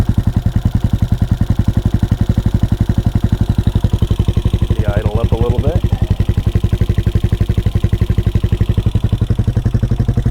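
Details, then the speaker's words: CSC SG250 single-cylinder motorcycle after MotoCult Stage 4 Plus engine kit install, idle screw adjusted: steady deep thump idle about ten pulses a second with valves tapping; sounds healthy. "sounds sweet. And it didn't blow up. So that's a win right there. I can hear the valves tap, tap, tapping away. They sound happy."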